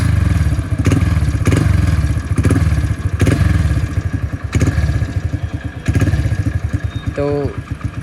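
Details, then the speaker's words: Hero Splendor motorcycle single after fixing noisy timing chain (loose cheap local chain replaced): small single thumping evenly, blipped several times with no ticking or chain rattle; problem solved. "Check कर सकते हो sound कुछ ऐसा आ रहा है बिल्कुल solve हो चुकी है प्रॉब्लम"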